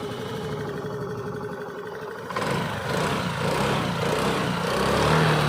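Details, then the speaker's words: Honda Activa 5G scooter, factory Denso-type CDI: quiet, then fires on a single touch of the self-starter and settles into a smooth, eager rev with no stumble or misfire; normal start and revving. "இப்போ பார்த்தீங்கன்னா வண்டி single டச்சில் start ஆகி நல்ல racing ஆகுது."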